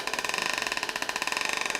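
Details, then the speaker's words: U-joint demonstration fixture: transmission turns at constant speed while fast even pulsing whir wavers in pitch, about twenty surges a second; bent u-joint makes driveshaft speed oscillate into the differential. "The transmission is still turning at a constant speed, but the drive shaft, do you hear the pitch change? This bent U-jint is causing the drive shaft speed to oscillate."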